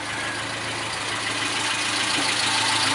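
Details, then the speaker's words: 1974 Ford Courier pickup, 1.8 L four-cylinder, swapped Weber or Holley carburetor, air pump removed, 4-speed manual: steady, even idle with a smooth regular beat, no knocks or misses; normal idle, runs pretty well. "It's not a Haas by any means, but it does run pretty well."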